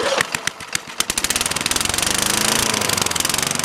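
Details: 21-inch Craftsman mower, Tecumseh engine, rain-exposed, air filter off, poor choke: putters unevenly with stumbles and surges, then settles to a fast steady beat, hunting on the governor that pulls the carburetor throttle; carburetor suspected, not confirmed.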